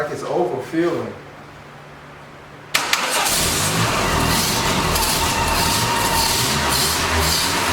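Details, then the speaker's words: 1989 Dodge Daytona ES: steady loud rough cranking that never catches and runs; gas still pouring in even with the injector in, owner suspects an injector problem; flooded no-start. "i think we might have an injector problem because uh it is really pouring the gas over in there even with the injector in there now"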